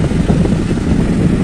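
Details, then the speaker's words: Table fan on full high speed after jam repair and reassembly: loud steady low hum with smooth airy whoosh, no rubbing or rattle; motor spins freely, normal running. "এইটো আপোনালোকে চাব পাৰে, আৱাজটো শুনিব পাৰে এনেকুৱা ধৰণৰ। খুব ধুনীয়াকৈ ঘূৰিছে।"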